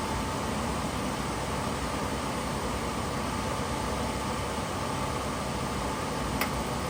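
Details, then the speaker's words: Suburban SF-30 camper furnace bench-tested with propane in a garage after repair (owner thinks the new igniter or clearing a clog fixed it): steady even rush of air, faint constant hum, no knocks or rattles; running and heating normally. "the repair has been made must have been the igniter new burner igniter or or is cleaned out has something clogged in it uh I think we Gucci we got heat"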